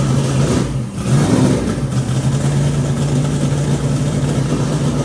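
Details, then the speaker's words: Twin turbo Nova V8 after flipping the reversed coil wiring on one bank: deep, even burble after a quick blip with no missing beat, now firing on both banks; idle air-fuel still untuned. "Uh, but that sounds a lot healthier and better for sure now that it's firing on both sides of the motor instead of just one."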